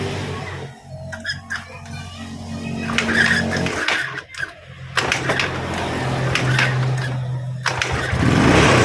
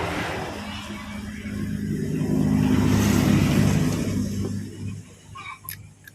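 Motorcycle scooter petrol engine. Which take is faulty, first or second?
second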